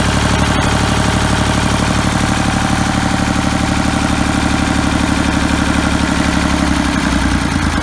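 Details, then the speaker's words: Ford 3000 diesel after freeing the stuck Simms injection pump plungers, cleaning the injectors and bleeding the lines: steady, even clatter about three beats a second, no misses or knocks; normal idle. "that sounds like it's running pretty good now you shut it off"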